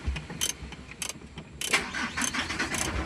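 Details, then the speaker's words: Mitsubishi Canter 4M42 diesel with knocking and low power that dies on the road: starts on one click, then shakes and runs rough with irregular knocking bursts; check engine light set, fault code for injector number 1, before troubleshooting. "So yun, nanginginig oh. Nanginginig, pangit yung andar ng makina."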